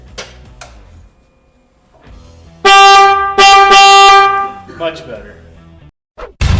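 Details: 2019 Honda Grom with newly installed Screamin' Banshee aftermarket horn replacing stock horn: two loud, bright, steady blasts, clean and full with no rasp or warble; works properly.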